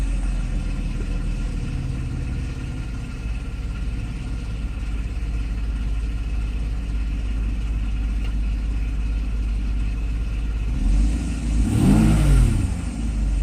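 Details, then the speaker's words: Mercedes SL600 V12 after repair of the E-gas throttle module (shorted throttle body wires, burned area bypassed) and throttle learning: steady, smooth idle at correct speed, brief clean rev that settles; faint screech is the air pump. "okay so yeah it looks like idle speed is okay acceleration is okay too yeah my air pump is loud so you might hear that little screeching noise but that's my air pump"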